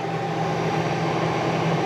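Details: 1982 Fiat 124 Spider heater blower motor, previously not working, powered up: steady even whir with constant low hum, no rattle or squeal, running on low setting. Blower motor running normally.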